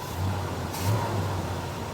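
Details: 1966 Pontiac GTO V8 with rebuilt Carter Competition carburetor, mixture screws set for highest vacuum (stable 15 in.): steady, even lopey big-cam idle, no knock or miss, mixture settled.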